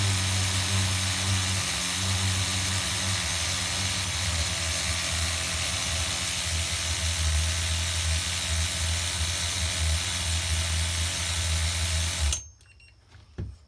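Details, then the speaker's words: HPI RS4 Nitro F150 pickup RC truck glow engine on 16% nitro, leaned toward race tune with idle gap closed, around 190°F: steady buzzing idle with uneven burbling low end, still slightly rich at bottom, then cuts off. "yeah we're right in the ballpark guys we're like at 190 temperature wise and I could hear it kind of getting rich down low still a little bit"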